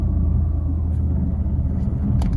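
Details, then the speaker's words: Fiat 500 (Cat S repair) on premium petrol and Redex: low, uneven, lumpy idle, "sounds like a dog" idling though it drives fine. Owner suspects the air intake pipe for the vibration and will check the coil pack. Rough idle, cause unconfirmed. "but um yes sounds like a dog it doesn't sound good when it's idling i don't know anyway we'll have another go tomorrow and see what we can do"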